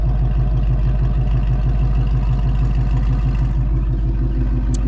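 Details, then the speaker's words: 2024 Mustang GT with Kooks long tube headers and high-flow converters, exhaust in track mode, deep even V8 burble about three pulses a second, loud, no misses or ticks; normal idle. "So this is actually they're in track mode now. So this is how the exhaust sounds at track just at"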